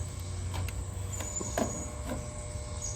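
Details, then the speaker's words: Outdoor AC unit with a dirty coil, running at startup with compressor rated load amps 13.5 and fan 0.8 A: a steady electrical buzz over the fan hum, louder than normal; the contactor sounds like it needs replacing. "contactor sounds like it needs to be replaced too it's a little loud"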